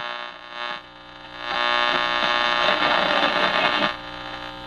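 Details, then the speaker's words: Detrola tube radio in a custom case has a steady low rough buzz under the program, even with volume all the way down; failing filter capacitors suspected, and B+ measured about 150 V. "Maybe the filters are starting to go out. But I don't have the caps. That's what's concerning me."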